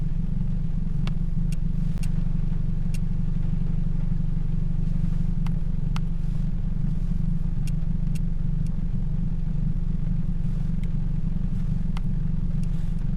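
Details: 2007 Toyota Yaris 1.5L 1NZ-FE four-cylinder; smooth, steady low idle hum with even pulses and only a few light ticks, no misfire.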